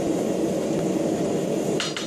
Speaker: And if you can hear how hard that is while I'm hitting it, if you do it correctly, you end up with a solid bar of steel and not just a strand of cables.